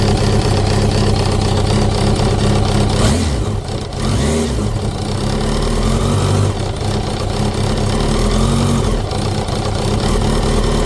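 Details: 2005 Kawasaki ZX10R Gen1, 41,000 km, idling and blipping: rough, uneven knock that follows the revs; unchanged after a new cam chain, tensioner and valve adjustment; owner suspects clutch basket back springs, generator thought unlikely.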